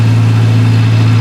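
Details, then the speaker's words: 1985 Toyota Celica 22RE after a new fuel pump, fuel tank cleaning and purged fuel lines: deep, steady, even idle with no stumbles or surging, already idling much better. A fan clutch replacement is pending. "It's already idling better. Yeah, way better than you can hear."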